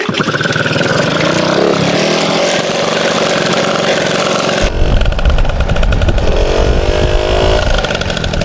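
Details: MBK 51 two-stroke moped: it catches and runs steadily, then picks up crisply and revs freely without stumbling. Normal running.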